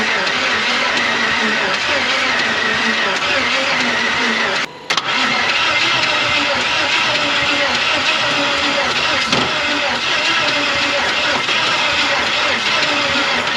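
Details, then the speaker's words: Old 350 Chevy V8 in a 4x4 Ford Ranchero parked 30+ years with bad head gaskets, gas and ATF added; long crank with ragged sputtering catches that never settle into a run; owner suspects ignition timing is off. "it wants to bad so kind of a last ditch effort here is to check our timing and I'm thinking the lower one is actually backwards cuz there is no marks anywhere"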